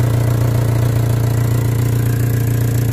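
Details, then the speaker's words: 1998 Honda Civic VTi at lowest idle: loud, deep, boomy drone pulsing about three times a second. Exhaust escaping through a suspected hole in the muffler, mid-section, clearly audible. "Yung mga sir, butas yata yung tambotyo. Rinig na rinig oh."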